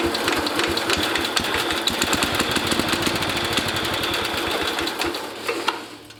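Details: International Cub Cadet 109 garden tractor, Walbro carburetor just rebuilt with new kit: busy rapid single-cylinder chatter, slightly uneven around three beats a second, then dies away; engine running, smoking briefly.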